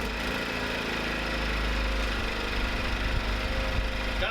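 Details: First start after reassembly with the fuel line reconnected and the choke on: steady low putter at idle with an even beat, settling after the first pull. It hunts slightly but sounds far better than before the fix.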